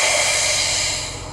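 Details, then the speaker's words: Sawmill shutdown: loud steady high hiss of air venting from a system still holding over 100 pounds of pressure, fading slightly as the pressure drops. Normal pressure release. "that lets the pressure off i'm still carrying over 100 pounds of pressure"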